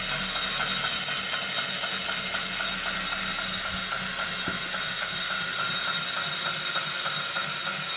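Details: Brand new Wahoo Kickr Core smart bike trainer spinning: steady regular light clicking/knocking about three a second over a loud rushing hiss; repetitive clicking noise.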